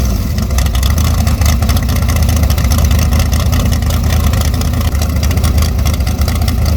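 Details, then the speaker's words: Short-stroke big-block Chevy built for twin turbo, first fire-up at 18 degrees outside, revved to 6,000 rpm; deep rough note, soggy and super lean because the carburetor is too small with too little pump shot. "She sounds a little soggy, but that carburetor is not built for that combo. It needs a much bigger carburetor with much bigger pump shot. You can hear it's super lean."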